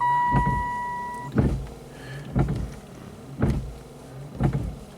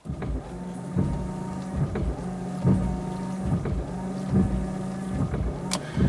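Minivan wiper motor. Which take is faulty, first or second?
first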